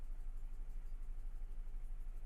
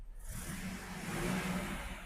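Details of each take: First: 2000 GMC 1500 parked 4 years, rodent-chewed wiring, fuel injection cleaner added, 40 psi oil pressure: idle with steady lumpy beat about three per second, dead cylinder from a loose spark plug wire, later reconnected. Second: 2000 GMC 1500 parked 4 years, after reconnecting a loose spark plug wire: engine revs up smoothly and settles to an even note, no stumble, no longer missing, firing on all cylinders, no smoke seen.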